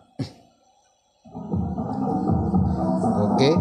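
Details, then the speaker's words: Power amplifier after replacing the dead transistor that caused its hum: music plays loud and clean, and the quiet stretch carries no mains hum; normal amplifier playback. "đã có âm thanh rồi vâng, nó rất tốt vâng và nó không còn ù nữa vâng"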